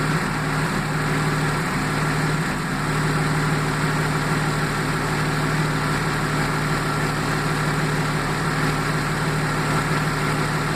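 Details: 1995 Jaguar XJ6 X300 AJ6 engine at idle: low hum with an uneven, lumpy beat that never settles into a smooth rhythm; misfiring.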